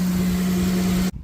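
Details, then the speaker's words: Honda Civic Type R FN2 idling after a shorter belt was fitted with the air-con compressor removed to cure a horrible belt noise: smooth, even idle drone with no squeal, chirp or grinding from the belt side; fixed, sounds healthy. "let's start it up and see if that's fixed our horrible noise there we go all fixed"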